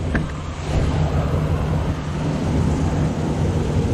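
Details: Truck with newly replaced engine, about 225 miles, after computer relearn following StabiliTrak light: deep, steady engine rumble with even beat, no knocks or ticks; engine runs smoothly.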